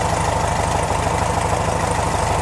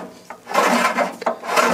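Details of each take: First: 1969 VW Beetle air-cooled flat-four at idle, after fitting a new Pertronix distributor and adjusting the ignition timing: an even, steady idle with regular pulses and no stumble or knock. Running better. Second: 1969 VW Beetle engine turned by hand: slow dry rasping scrape each turn as the squirrel-cage cooling fan behind the generator rubs the shroud, which caused a high whine on a test drive; the fix is loosening the generator bolts to realign it.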